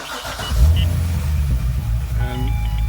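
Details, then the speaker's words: Corvette C6 Z06 hot start after 10-minute heat soak, temperature down to 180°F, hood open, starter replaced: quick starter spin, engine catches at once and settles to steady rumble; normal hot start. "basically perfect so that is how your car should sound on a hot start and if it doesn't then you've got issues"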